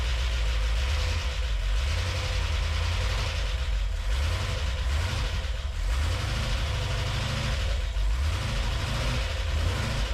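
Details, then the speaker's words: Classic Range Rover with boosted V8 on LPG, first engine start: low, heavy idle with a sluggish, uneven beat and slight knocking; engine sounds labored straight away, generally ignition timing. "So, the engine sounding very labored straight away. Generally ignition timing."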